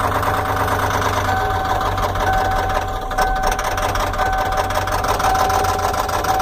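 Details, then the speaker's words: 1994 Ford F-250 diesel idling with a rapid rhythmic clatter and a sharper knock standing out each cycle; owner suspects a bad injector. Truck also needs fuel filters and glow plugs. "94 F-250 just gotta I think a bad injector"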